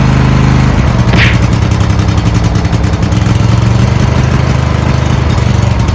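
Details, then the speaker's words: Riding lawn mower with a V-twin believed to be about 20 hp, sat unmoved in shed at least 3 months, new 320 CCA AGM battery, about half a quart low on oil: catches after brief crank, steady even low throb without misses or knocks; normal start and idle. "let's see if it starts up has a v twin in it uh believe 20 horsepower it's a good engine"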